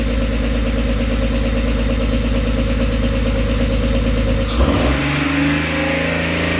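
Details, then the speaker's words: 22-year-old Jeep TJ with a replacement used 4.0L engine (old engine's tick had become a knock): runs firm and even, revs cleanly with no tick or knock; sounds healthy. "Terrifying. Oh my god. But it runs. >> Sounds good. >> It does sound good."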